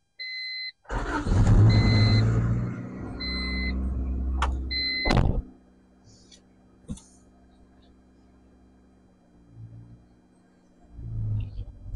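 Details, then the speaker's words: 1988 Honda CRX Si after caliper rebuild and master cylinder work; main relay suspected of sometimes cutting fuel pressure, but here fuel pump primes, chime beeps, engine cranks, catches and runs steadily a few seconds with no misses; starts fine. "now watch this a it's working"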